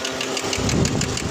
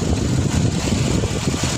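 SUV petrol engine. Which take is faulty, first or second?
first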